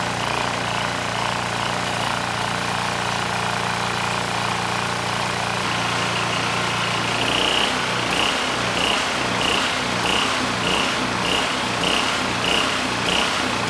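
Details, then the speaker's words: Powermate SX Power Series 3250 W generator, model PM0123250, leaking gas and oil: small engine drones then settles into an uneven throbbing pulse about 1.5 times a second; rough running from carburetor fault, engine otherwise healthy, no knocking. "Now granted, the carb it has issues. I had a lot of trouble getting the engine to run smooth."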